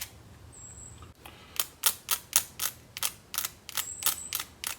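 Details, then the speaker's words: 1926 Oakland ignition test, negative hooked to coil positive and points lead touched to ground: sharp irregular snapping ticks about three to four a second; coil energized and sparking properly. "so what that means is the coil is getting excited and we're making a circuit through the coil"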